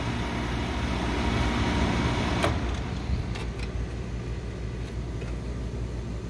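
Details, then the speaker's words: Old Carrier R22 condenser running after power was restored, neglected inaccessible air handler, old mercury thermostat suspected: steady low hum with a couple of sharp clicks, running normally with a temperature difference. "That sounds pretty good. So I got power."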